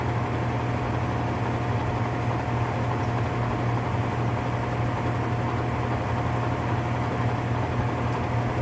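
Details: Whirlpool top-load washer (model 110…) with grinding complaint when motor runs, manual-test high spin: coarse, gritty rumble beneath the drum whir; worn gear assembly needing replacement.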